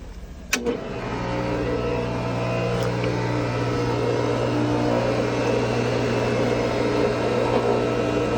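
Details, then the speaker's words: 240-volt pool pump motor after checking the seal leak, wiring and capacitor: sharp start click, then steady, even motor hum with smooth water-flow rush, no knocking or grinding. Pump running normally. "before I put that back on the motor I want to make sure I hear a nice motor hum okay yep okay sounds good"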